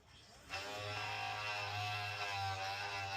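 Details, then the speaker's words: Gas water heater blower kicks in with a loud, buzzy, engine-like drone far too loud for this fan; suspected damaged blade or internal fault, blower removed for inspection. "So this water heater's blower was making quite a bit of noise. So we had our boss Juan go and inspect it. And as you can hear here, it sounded like an engine."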